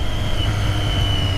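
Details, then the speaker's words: Triumph Street Triple R on its first ride, accelerating: a deep, steady engine drone with an even induction roar and a thin high whistle as air gets sucked in. A normal, healthy intake sound. "air just gets sucked in, it sounds a beauty."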